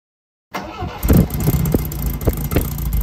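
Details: Long-stored MGB GT on its first restart: it cranks and catches after half a second, then holds a slightly uneven but sustained run; there is a radiator leak and it smokes a little.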